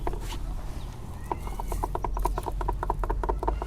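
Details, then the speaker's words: KTM 250 Adventure motorcycle, about 4 months old: sharp light clacking (khat-khat) while riding from a drive chain that keeps loosening every 500–1000 km and hangs slack; loose drive chain slap. "ह्या ह्या गाडीचा drawback हेच आहे की ्याची चैन 12 ते 15 ह000 kilometre ला life संपून जाता आणि सारखा गाडी चालवत असताना हे असा खटखट आवाज येतो."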